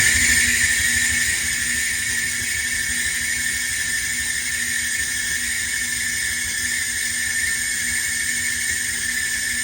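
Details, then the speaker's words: Whirlpool Duet dryer running with a constant high shrill squeal over the drum rumble, most likely from the pulley, before repair: idler pulley squeal. "we have a loud squeak and we're gonna be fixing the pulley most likely so if this is what you've heard before then just make sure that you are aware that this is most likely the pulley system"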